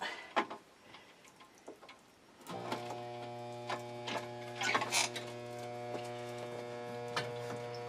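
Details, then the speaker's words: Harbor Freight Drummond 1 hp shallow well pump after repair, lines partly drained, restarted: steady motor hum with no rise in load or pitch and no shut-off, not building pressure; owner suspects it isn't primed enough. "It should shut off once it pressurizes. Let's shut that water off. Might not be primed enough."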